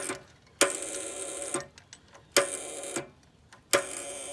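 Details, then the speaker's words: Gravely tractor with a fresh new battery; the owner blames cheap battery cables. Three bursts of sharp metallic clicking and buzzing, about a second each, come from the solenoid with no cranking. Starter clicks but never cranks. "definitely that noise is coming out of the solenoid, which is an ugly noise, huh?"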